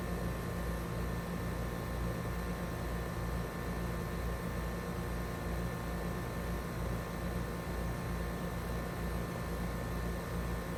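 Steady low fan roar with a faint even hum underneath, no clanks or squeals as it settles in; heat pump starting up normally.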